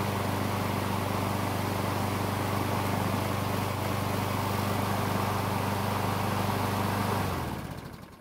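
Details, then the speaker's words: Craftsman mower with Briggs engine, new carburetor, hot restart after three minutes on a hot day with the choke bypassed by the thermostat: a steady, even single-cylinder putter, then a clean shutdown; it restarts and runs normally. An oil leak remains. "so it looks like everything is working just like it's supposed to and aside from looking into where that oil leak is at this should be an excellent mower"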